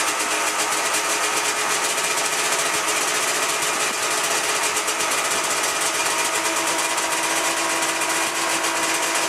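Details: 1997 Ski-Doo MX-Z 440 fan-cooled two-stroke snowmobile, about 12K km, after replacing cracked carb flange (air leak) with new old stock flanges; fast crisp ring-ding holding steady idle, no hunting or surging; normal two-stroke idle.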